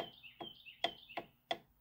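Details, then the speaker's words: 1926 Ford Model T rear axle overhaul, ring and pinion set up with marking compound; pinion shaft rocked back and forth gives light metallic ticks about three a second, birds behind. Normal ring-to-pinion gear backlash. "And basically the backlash is that the gears hitting each other, that little noise that you'll hear right here."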